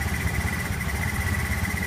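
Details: Honda Zoomer X scooter that would not start, after replacing the fuel pump motor, fuel pressure about 300 kPa (3 bar): steady, even low putter with no misses or knocks and faint constant hum; idling cleanly.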